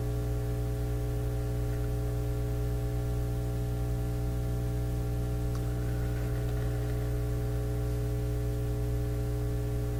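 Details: Nordmende Elektra F13 tube radio warming up after switch-on, output tube grid voltage being monitored: constant low buzzing hum, no program. Technician suspects the power supply; much of the hum was later traced to a clip lead on the grid.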